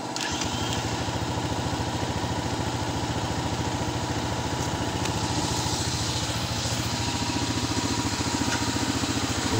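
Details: Honda XR200 single-cylinder, after fuse replacement following a no-start with cut stator wires: catches and settles into a steady, even thumping idle with no knocks or misses; regulator then found not charging 13-14 V.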